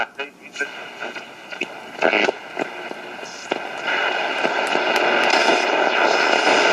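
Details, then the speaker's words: 1960 Akkord Pinguin U60-US AM/FM/SW transistor radio on a local music station: harsh, crackly, smeared audio over steady hiss, pumping in level; badly distorted AM reception, automatic gain control suspected faulty. "it seems like the automatic game control is shot that's a local music station you can hear it's very heavily distorted"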